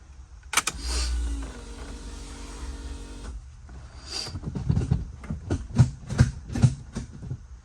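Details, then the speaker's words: Freshly assembled long block in a Dodge Neon ACR, cranked with coil pack and injectors unplugged to check oil flow and leaks: a few sluggish, uneven starter turns fading quickly; battery a little dead, jumper cables needed. "All right, well, unfortunately, the battery is a little dead. Did get a couple cranks out of it, but I'm gonna go ahead and see if I have the jumper cables in the truck."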